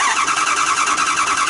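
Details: 2009 Dodge Durango cranking without starting: fast, even cranking at roughly ten pulses a second, never catches; 0 psi fuel pressure against about 49.5 psi needed; relay pin 86 being tested, fuel pump suspected.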